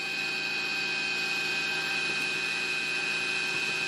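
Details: CNC1310 desktop router, modified with encoders on its stepper motors to stop step-out, cutting steel on a Fusion360 toolpath: steady high spindle whine over an even cutting hiss, no stalls or clunks; normal smooth cutting.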